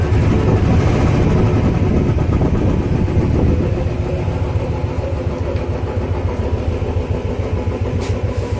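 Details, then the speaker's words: Royal Enfield Bullet 350 after repair of tappet noise, reassembled: single-cylinder thump settles from fast idle into even, steady beat with no tapping on top; previous rattle gone, engine sounds healthy. "बिल्कुल okay report है। पहले खटपट ज़्यादा थी इसके अंदर, अब ठीक है, पहले से बहुत बढ़िया।"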